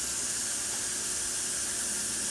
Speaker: Now, sometimes air gets in the line, so what we do to let the air out, stand back, photographer, is we unscrew this a little bit. You can hear the air hissing.